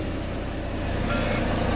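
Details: Volvo D13 diesel truck after injector work (long cranking and no start was traced to bad injectors): even, low diesel idle with a steady beat and no stumbling or misfire; engine now starts and idles normally.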